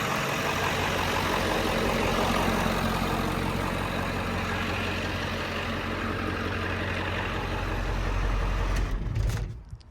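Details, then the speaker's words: 7.3 Powerstroke OBS diesel: deep, even clatter holding a steady idle for about eight seconds, then a clean shutdown with no misses or shakes. Healthy normal idle. "All right. Runs good. Sounds healthy. Sounds super healthy. No vibe."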